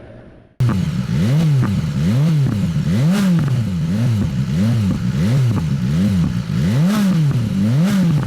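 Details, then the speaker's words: BMW S1000XR motorcycle ridden in Dynamic mode; revs swing up and down with sharp pops on each lift-off, a factory-programmed overrun exhaust crackle, normal. "but B&W on the overrun of this put this crackle in and it sounded awesome the first time I heard it then I realized it's just manufactured"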